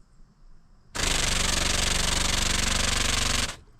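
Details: Methanol injection pump for 2000cc nozzles, switched on again after lines were primed: sharp steady rattling buzz starts instantly, holds evenly about two and a half seconds, then cuts cleanly; instant, proper response.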